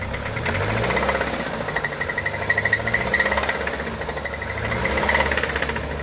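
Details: Recently bought used car that had passed a paid pre-purchase inspection: a steady, sharp metallic knock over the idle at a quick, even rate, clearly mechanical. The car was parked and not driven after the noise appeared, and the source is still unknown.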